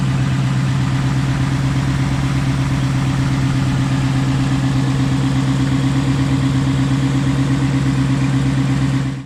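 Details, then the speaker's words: Tuned 2019 Ford Mustang GT after Ford replaced sticking throttle body under warranty: smooth steady idle with even low drone, no popping or stumbling; repair seems successful so far, healthy. "right so there you go guys it seems to be working so far so good no more popping sounds"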